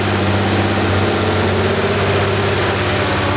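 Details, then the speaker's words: RWB Porsche 964 Turbo with built engine on new Haltech ECU, idling; uneven lopsided low pulse with one beat missing each cycle; cylinder 6 dead despite changed injectors, plugs, coil leads, traced to a leaking exhaust valve. "We have been battling this problem with cylinder 6 not working."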